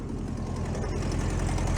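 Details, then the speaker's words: 1965 VW Beetle with freshly rebuilt air-cooled flat-four, first start after installation in the car: low steady chuffing idle that builds slightly and stays even, no misfire or knock; normal healthy idle. "all right we'll take it we'll take it"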